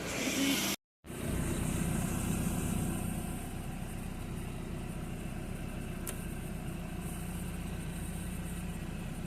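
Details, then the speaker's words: 1993 Nissan 240SX convertible, manual swap, after head gasket and head stud replacement; engine idles steadily around 1000 rpm with no miss or stumble, much quieter than before. Misfire had been traced to the distributor and an untied throttle cable. "is idling about a thousand. It sounds a lot quieter."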